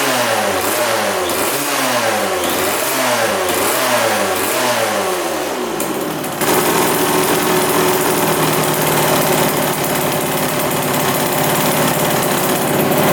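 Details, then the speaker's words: 1999 Suzuki RM80 two-stroke dirt bike that wouldn't restart: revs surge up and down, then the rhythm collapses around six seconds and it dies; intermittent stalling possibly from a faulty spark plug, running much better once replaced. "now I just died again really odd all right we changed up the spark plug now she's running a lot better"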